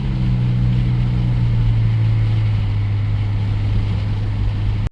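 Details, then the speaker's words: 1991 Dodge Grand Caravan SE, fully warm (fan cycling) after a 10-mile drive, steady smooth idle with no stumbles. Fixed by replacing the crank sensor installed earlier, which was bad out of the box and made it quit once warm. "She just drove 10 mi and it's still sitting there purring. That was it. That crank sensor we put in when we first got it running, bad out of box."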